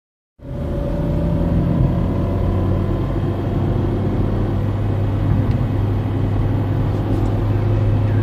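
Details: Peugeot 307 1.6 16v: a steady low hum with a faint droning gearbox tone that remained after a gearbox oil change, which improved shifting; the owner suspects a faulty thrust bearing.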